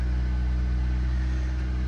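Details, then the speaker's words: Auction-yard car, long unstarted, battery dead and hard-wired, almost out of gas: smooth even low idle hum, no knocks, misses or ticking; slight oil-burning smell attributed to sitting; engine sounds healthy, AC probably not working. "Started up like it has not been started in a while. It's almost out of gas, so we're not going to leave it running too long."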